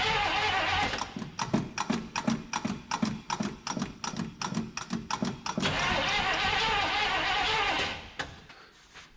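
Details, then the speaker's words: 1975 Chevrolet C20 Scottsdale 3/4-ton squarebody, first start attempt in nine years after priming with primer bulb; starter cranks steadily but engine never catches, accelerator pump not doing its job. "let's see if we get any fuel up here the accelerator pump is not doing accelerator pump things"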